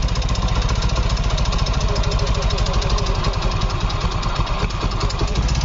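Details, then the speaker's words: Yamaha Fino 125 scooter with a very rough engine, running loud and harsh with dense mechanical clatter that gets louder as it is revved; won't hold idle and dies off throttle, no smoke; too-tight valve clearance. "Suaranya parah, semakin digas keras, suaranya semakin keras. Semakin naik RPM, suaranya ikut naik. Suara berisiknya."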